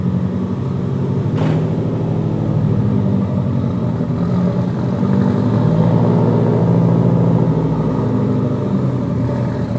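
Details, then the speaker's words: Freshly rebuilt, essentially stock engine on a stock tune at its first start, run up to temperature with distilled water in the cooling system and no leaks; even, steady fast idle with no knocks, ticks or misfires; normal running. "Well, not that we smoked out the shop. That was a very successful first start. So I'm very excited about that."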